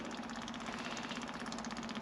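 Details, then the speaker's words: Takeuchi excavator (5,755 hours, abandoned and partly parted out): rapid, even buzzing with a faint steady whine and no straining as the electric fuel pump fills the fuel system before the first crank; normal fuel pump operation. "oh I hear it okay it's filling that up"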